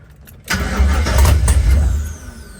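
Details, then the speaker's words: LS-swapped 1972 Chevy Nova, first start attempt after five years, new PSI harness and fuel relay: starter spins, engine catches with a deep burst for about a second, then dies without running. "All right. Well, it cranked over for a second. It wanted to start."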